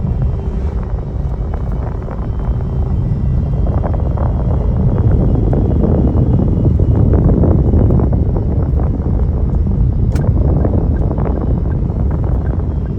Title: Car broken power steering grinding sound #car #grinding #carnoise